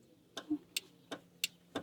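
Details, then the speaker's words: 1973 Plymouth Valiant starter solenoid clicks five times in two seconds with no cranking; solenoid already replaced, same result, starter motor itself suspected. "I can hear it clicking, but nobody's home. So further downstream, I'm thinking could be the starter itself."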